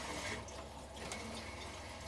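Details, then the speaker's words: Central heating system after zone valve swap, boiler switched on: pump running with soft, steady rushing and trickling water through the pipes; normal circulation, some air still to purge. "Pump's doing its thing. Can hear the water coming through."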